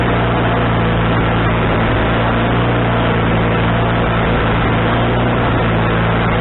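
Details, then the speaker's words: Wood-Mizer LT40HD sawmill engine with a newly replaced carburetor, mixture screw set three turns out, not sawing: steady, even drone with no surging or misses, running clean and settled; owner thinks the tuning is now right. "I think that might be where we want it uh anyway I'm getting an hours to kind of log up to see how it runs"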